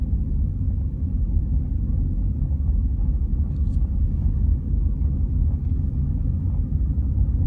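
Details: 2004 Honda Civic Hybrid CVT accelerating from a stop: deep, uneven rumbling shudder, attributed to the transmission belt/start clutch slipping (CVT start clutch judder), said to be common on this model and to return after fixing.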